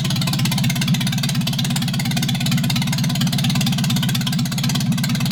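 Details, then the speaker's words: MGB under restoration, running with exhaust headers left off after rear axle refit: fast, even, harsh popping at idle, every firing pulse loud and sharp from open exhaust ports; much louder than a voice, annoying the neighbors. "as you can see or if you can hear in comparison with my voice it's pretty loud i'm annoying the neighbors"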